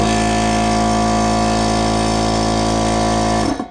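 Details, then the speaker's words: Air compressor test-fired on a newly wired shop circuit fed from a 50 A house supply, estimated at about 48 A at the shop: steady, even motor hum with no labouring until a clean shutoff. Normal start. "fired right up none of no more of this"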